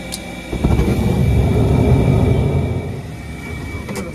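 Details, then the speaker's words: Trane LP gas furnace, after a failed hot surface igniter was replaced, blower motor loose in its mount: loud, uneven low rumble and shudder, rising then easing, with rough wobbling as the motor hops around; fan cage and band bracket repair recommended. "motor's hopping around hear that I'll let her know"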